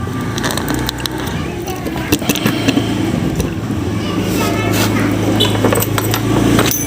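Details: Yamaha Mio GT scooter after engine block replacement, kick-started: steady low putter at idle with light clatter and handling noise, sounding settled and healthy.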